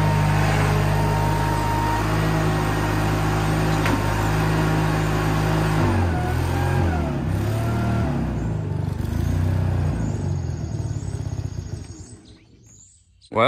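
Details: Case 1816C skid steer after sitting 10+ years in a barn: steady diesel run with an even beat near four per second, easing and shifting as it moves off, then shutting down; sounds healthy.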